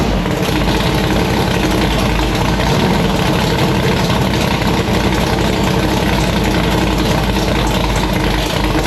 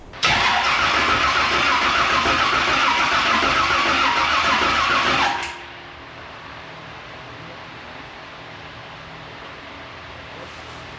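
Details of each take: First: It starts, it idles, the car revs up, it sounds pretty good. You know, the cam seems to be doing cam type stuff, so there's no noise. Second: Race car with new ignition system and new cam after torque converter swap, first start attempt: steady starter cranking for five seconds with no firing; crank no start because the crank trigger input signal was not plugged into the ignition box.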